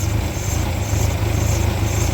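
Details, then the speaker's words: 1994 Ford Ranger 2.3L four-cylinder, after a new starter and a replaced hose, idles with a deep uneven throb heard under the truck though it sounds fine from above; still rough, owner suspects an exhaust leak. "could just be the exhaust League I don't know if you've got any ideas these things are 30 years old"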